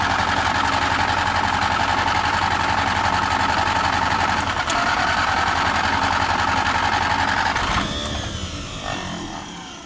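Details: Antique tractor, small gas pony engine used to start a diesel, cold start: chugs at about four beats a second, uneven and stumbling, then dies away; too much gas given; runs rough and reluctant.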